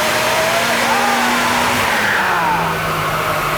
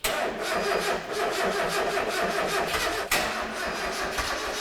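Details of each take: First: Turbocharged Mazda MX-5 on dyno rollers, boost cut from 15 psi to 13 psi after a misfire at 15 psi; spark plugs suspected: engine pulls and eases off with cleaner, steadier note and fewer stumbles; smoother running at reduced boost. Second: Turbocharged Mazda MX-5 on a dyno, barely run for 3.5 months: even slowish cranking about five pulses a second for several seconds without catching, battery too weak so it needs a jump start; slow cranking from weak battery.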